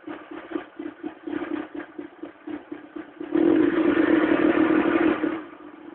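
Cold engine runs with an uneven, rough beat of about four pulses a second, plus a clattery rise under a brief rev; the cause isn't clear. Cause suspected, not confirmed.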